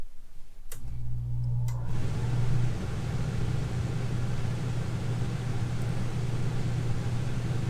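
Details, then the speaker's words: Furrion Chill HE 15K BTU conventional RV air conditioner (FACR15HESA-BL) starting before SoftStartRV install, fan on auto: click, then steady low hum with even fan rush, no strain; in-rush stayed around 14 amps; normal start-up. "So that's really interesting. I was expecting it to spike there right off the bat, but I don't think it got over 14 amps and some change."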